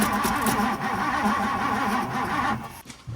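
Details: 1964 Ford Thunderbird, 390 FE big block, sitting since about 1998, after setting the gap and fitting the rotor: steady cranking with no firing; cranks but won't start, no spark, plugs dry.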